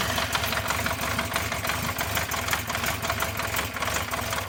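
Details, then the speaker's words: 1974 Honda CB350 Four, laid up about 20 years, carbs refurbished, started on choke: uneven, lumpy idle with a loose irregular beat and missing pulses; misfire, seemingly running on only two cylinders, and later cut out on its own. "Does sound like a bit rough on there. Turn the fuel off. Sounds like it's only running on 2 cylinders."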